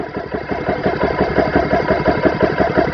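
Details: GX CS3 4500 PSI air compressor, test run set for 3,000 PSI with fans on, bleed valve closed, pressure past 1,000 PSI: even pumping thump about three times a second over steady motor hum while pressure builds; working normally.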